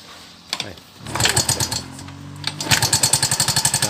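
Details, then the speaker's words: Yamaha Mio M3 scooter idling rough and noisy with sharp rapid ticking from the cylinder head; rocker arm or camshaft suspected, found a worn, seized rocker arm roller; sound became smooth once fixed. "kasar sekali ya sekalipun iya jelas kali bunyi itu berada di bagian head disini Saya yakin bunyi adalah bunyi Templar atau noken as"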